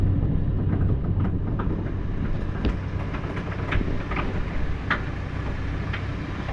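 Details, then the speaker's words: JS130 excavator swinging its upper structure before slew bearing replacement, kept going only by greasing for four months: irregular pops, cracks and crunches over the diesel, with the upper visibly rocking; worn slew bearing. "just popping and crunching and cracking she's survived on uh nothing but pumping her with grease for the last four months"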